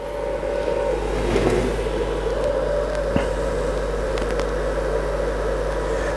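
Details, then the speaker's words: Alfawise U10 3D printer, new, powered on and idle: steady loud whirring hum at constant pitch from the cooling fan at the back, nothing else running; fan simply too noisy. "So the U10 is ready. This fan back here is rather loud."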